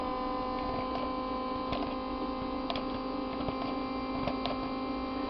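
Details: Electric fuel pump bench-tested on a 12-volt battery with the fuel pressure regulator on a vacuum pump: even, steady hum with a few faint ticks, no surging or rattle; pump running normally.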